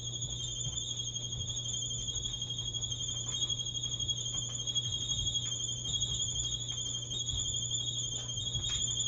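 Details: Maytag dryer about 10 years old: a constant high-pitched squeal rides steadily over the low tumbling rumble the whole time it runs; source not pinned down, technician awaited.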